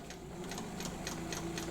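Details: Reconditioned vintage White Rotary straight-stitch sewing machine sewing: light, even ticking at about four stitches a second over a soft motor hum, no clatter or binding, running smoothly.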